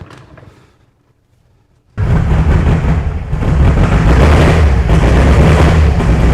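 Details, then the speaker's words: 1964 VW Beetle air-cooled engine after a tune-up with new rockers, carburetor and ignition parts, possibly flooded from long cranking: silence, then it catches with a loud, uneven, lumpy galloping misfire; the coil appears bad or failing, and distributor timing is also suspected. "all right looks like the coil was bad or is going out"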